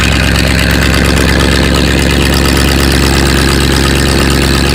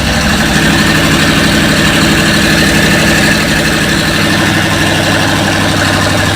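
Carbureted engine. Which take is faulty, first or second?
second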